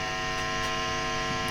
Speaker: I know this is a pretty extreme test but it does go to show if the base plate isn't grounded you've just got so much more potential for noise and problems to get into your audio path